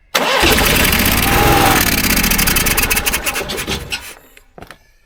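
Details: 15-year-old Onan 5500 RV generator, sat at least 6 years with bad gas: starter churns about three turns a second with brief catching bursts then stops; cranks but won't start, likely fuel starvation.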